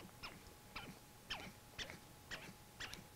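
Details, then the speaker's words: 125 oz stepper motor from a large CNC, shaft turned by hand: soft chirpy clicks about twice a second from pole detents as it steps around; normal stepper behaviour. "steps so if you grab the shaft of the motor and move it you can feel it you can feel the resistance you can feel it kind of chopping those are the poles that kind of push the motor around to step it around 360 degrees"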